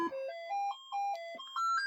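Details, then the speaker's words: Commodore 64 SID sound chip running dead-test tones: stepped tones with faint odd twangs and glitches between notes; chip slightly flawed, not terribly bad but not good. "they're just funny little things there that mean that this SID chip is not terribly bad, but it's not good."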